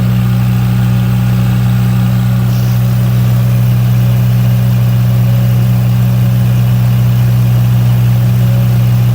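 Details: 35 kW liquid-cooled standby generator, warmed up with exhaust red hot, carrying the 5-ton and 3.5-ton air conditioners, load probably about 12 kW. Loud, deep, perfectly steady drone with no misses or knocks. Normal generator running under load.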